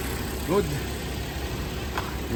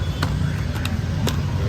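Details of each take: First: Suzuki Jimny JB43 idling with a low, even murmur and steady beat, no misses or stumbles. Its rough low-rpm idle was addressed by replacing the head cover gasket and fitting new spark plugs. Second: Suzuki Jimny JB43 with a rough, low-rpm idle: low, lumpy running that keeps wavering and stumbling, never settling into an even beat. Head cover gasket replaced and new spark plugs fitted.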